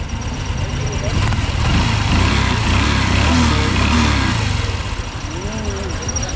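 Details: Honda CX110 single-cylinder, newly overhauled yet knocking, after rework with exhaust and engine refitted: small single blips rise and drop cleanly with no knock or rattle; knock gone, engine sounds healthy.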